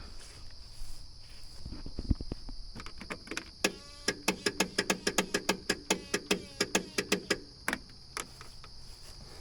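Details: John Deere 102 riding mower, won't start, parking brake engaged: starter drags engine with slow labored pulses about four a second, crickets behind; engine can't be turned by hand either.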